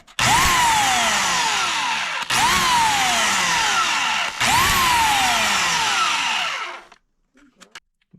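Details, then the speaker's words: Oregon CS 1500 120 V electric chainsaw, after repair reassembly with quick steel on the armature: three clean run-ups to a steady high whine, each winding down smoothly with no grinding or rattle; running normally. "okay got it together and sounds like a normal one now we'll watch that right there"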